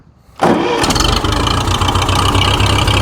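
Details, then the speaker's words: Restored Ferguson TE20 'Grey Fergie' tractor, started with the fuel turned on, ignition key and gear-lever start: brief crank, catches at once and settles into a steady, even tickover; a clean, healthy start, ticking over as low as 400 rpm. "away she goes. It's that simple. Starts absolutely beautifully. And then listen to that tick over. It'll tick over as low as 400 RPM."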